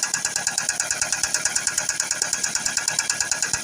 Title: Стучит двигатель форд С макс 1.8 бензин.